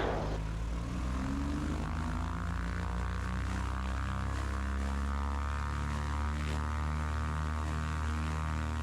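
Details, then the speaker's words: Twin-engine airplane run-up after an engine failure on landing: both engines hold smooth even drone at about 2300 RPM with steady beat, no roughness; after prop feather check, power and oil pressure back up, engines sound good. "Power's back up. Oil pressure looks good. No big red X's. And the engines sound good. 2300 RPM now."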